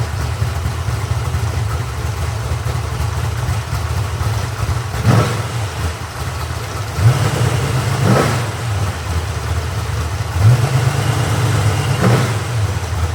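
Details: Freshly rebuilt 1970 Corvette LT1 350 V8 on a test stand, with a rebuilt and tuned Holley 4150 carburetor and Walker Dynamax mufflers. Deep, steady idle burble with three crisp revs that climb and settle back cleanly. Carburetor tuning sounds spot on.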